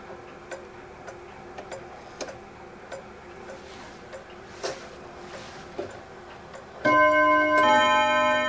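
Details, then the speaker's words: German Mauthe box clock (1946 case) with a 4-rod strike, movement fully refurbished: soft, steady ticking about once a second, then a single clear bim-bam on the rods as the minute hand is advanced to the half hour. A healthy half-hour strike. "And just one bim-bam strike in the half hour. Beautiful clock, lovely sound."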